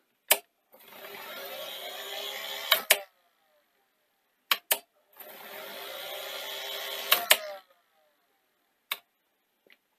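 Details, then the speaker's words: Sony SL-C9 Betamax VCR with tape inserted: two bursts of high hissing whir with sharp clicks between as the head drum spins far too fast; head servo fault causing drum overspeed. "okay so what we actually have is the heads going super fast"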